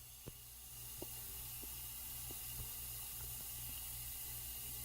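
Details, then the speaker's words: Freightliner truck at diesel idle: steady high hiss constant regardless of engine speed as compressed air leaks out of the air horn, a new leak not heard before. "now air is leaking out of the air horn"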